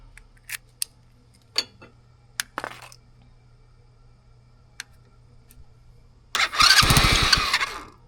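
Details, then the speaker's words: $40 used ATV, start attempt after installing a new wiring harness and fixing a forgotten ground wire that caused smoke; starter fluid sprayed in, fast even cranking for about two seconds, nearly fires but stops without running. "Let's spray some more starter fluid inside of here. >> Dad, it almost started."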